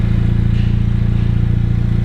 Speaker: And it does make a decent sound.